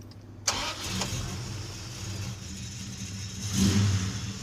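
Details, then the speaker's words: Red Plymouth Duster started after adjusting the belt tensioner and checking pulley alignment: first-try start, smooth even idle and a clean blip with no squeal or chirp; the squeak is fixed. "oh yeah we fixed it let's listen oh it rolls smoother I can feel it yeah I know there's no squeaking n n it's fixed"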